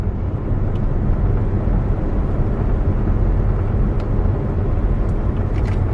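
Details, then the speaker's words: 2011 Chevy Volt after dealer replaced a front wheel bearing that made noise in right-hand turns: smooth, steady road rumble through the same curve with no growl or buzz; quiet and tight, repair fixed the problem. "yeah that's definitely what the problem was because there's now it's quiet it's tight feels like i could take that corner at about a hundred"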